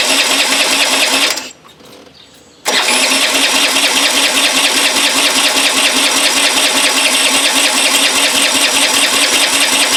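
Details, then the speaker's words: 1983 Honda Elite scooter, long stored, cranking with a fast rhythmic hissing wheeze each stroke and no firing; suspected exhaust back pressure, possibly a mouse nest, pushing fuel out of the bowl and upsetting vacuum; exhaust removal next. "you hear the air like there's back pressure somewhere and that might be why the fuel's being pushed out the bowl the vacuum's not working like it should"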